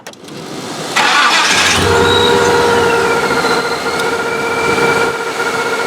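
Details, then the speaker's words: OBS truck with L29 454 and ProCharger, just fitted with a longer belt to keep the smog air pump: cranks, catches within a second and settles to a steady idle with a light accessory whine and no belt squeal. Owner is concerned about low alternator voltage and suspects a power steering pump problem. "foreign no squealing off the bat seems to be running everything"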